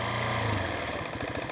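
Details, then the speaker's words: Husqvarna 701 Supermoto single-cylinder dropping from a rev to a lumpy idle with a quick, even ticking on each beat. The owner first suspected a valve issue but concluded it is the engine's normal character, not a fault. "But that's how it is built. I was skeptical before I bought this motorcycle whether this was a valve issue or not, but it is actually not a valve issue at all. That's how the engine and the feel of the engine is."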